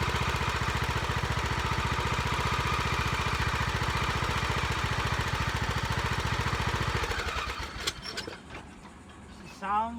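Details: Lawn tractor after carburetor replacement or governor adjustment and new filter: steady, even single-cylinder thump at fast idle, no misses or knocks for seven seconds before shutting down; runs healthy.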